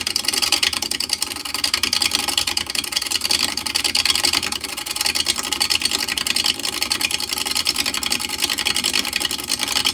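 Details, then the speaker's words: Laguna 12/16 wood lathe turning an out-of-round blank: rapid, regular hissing strikes with gaps, a thump-thump as the tool alternately cuts wood and air; interrupted cut, not a fault. "All right, it's making all that noise because for half of this we're cutting air."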